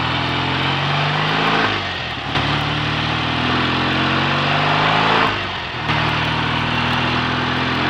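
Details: BSA A65 Thunderbolt on test ride after closing spark plug gaps to cure Boyer ignition misfire under load (new plugs, caps, battery; clean carb): pulls cleanly through gears, no stutter or popping; normal running under load.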